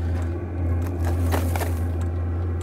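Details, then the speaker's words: Vevor diesel heater newly installed in a RAV4, on startup: steady hum with crackling and popping as the burner ignites; zero smoke, working well. "all right hear that noise we've got ignition absolutely zero smoke on this startup this one's working great"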